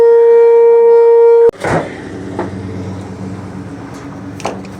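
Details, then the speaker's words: Gas water heater makes a loud steady mid-pitched buzz for about a second and a half, then cuts off abruptly, with attached pipes vibrating; a gas leak was found in the unit; loud buzzing with vibrating pipes. "this water heater right here is making this noise i'm gonna show you how you're gonna fix this problem and it pipes are like vibrating"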